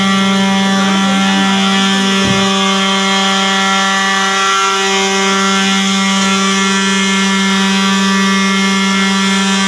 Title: I believe every apartment has experienced one time about Fire alarm making noise..like this one.